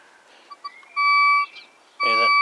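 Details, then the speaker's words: Thracian manual ground-balance metal detector: two sharp steady high-pitched tones before ground balance; turning the ground-balance control anticlockwise removes the tone once balanced. "that high pitch noise, get rid of that, it's ground balanced."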